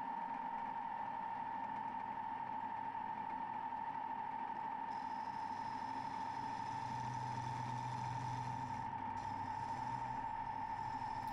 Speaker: you can hear from the vibration I'm just a little bit too far away from the Chuck really should have chopped about four inches off that Blanc